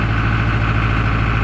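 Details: John Deere 5410 diesel tractor, which lost power after spreading lime, starting and idling on the hand throttle with no load: faint uneven pulse, revs sagging and recovering; idle surging from fuel starvation, algae in the fuel.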